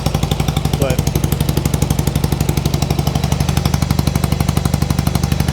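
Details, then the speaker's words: 1995 Harley-Davidson Sportster flat tracker at first start, warming up with some choke: steady even thumping about four beats a second over a deep rumble; both cylinders fire, but idle sits high; carb cleaning needed. "let it warm up so a little bit of the choke in so it sounds like it's a high idle right now"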